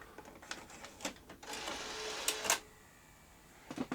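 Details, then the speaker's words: Sony BVW-22P Betacam SP player loading a tape: a few sharp clicks, then about a second of harsh mechanical whirring and grinding, suspected slipping belt; a second attempt sounded better and laced up. "sounds like a slipping belt or something our 21 give it another go that sounded better I think you should lace up now"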